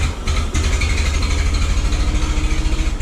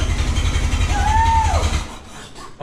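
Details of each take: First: 1912 Oldsmobile Defender, about 113 years old, just started with its starter motor using a bit of choke and gas: slow, even low chuffing with a faint rising whine from a belt-driven accessory; a steady, normal idle. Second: 1912 Oldsmobile Defender, about 113 years old, cold and unstarted for about six months, cranked by hand: a few rough low firings catch with a brief rising whistle, then the rumble fades within two seconds; it fires but won't keep running.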